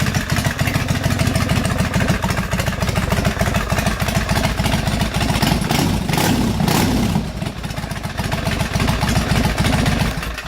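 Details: Harley-Davidson big twin custom bobber idling after a new battery fixed an occasional loud starter clunk: loping, uneven V-twin thump with no clunk or knock.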